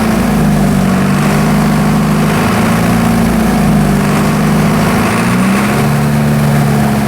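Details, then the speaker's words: Military surplus diesel generator, first runs after sitting several years; gummed throttle linkage to injection pump control lever freed with penetrating oil; deep steady drone smoothly climbing and dropping as throttle is worked, even firing, no knocks; injection pump seems healthy. "all right as you can hear I was actually able to rev the engine up and down and engine actually sounds pretty healthy"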